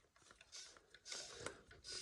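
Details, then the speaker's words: MB Trac (352/366-series engine) fuel system priming by hand pump during service, after oil and filter change and a replaced relief valve; pump clicks, then hissing squeaks as the relief valve blows off; system now primed. "and you can hear it blowing off. That squeak, weird noise, is the blow off. So she's now primed up."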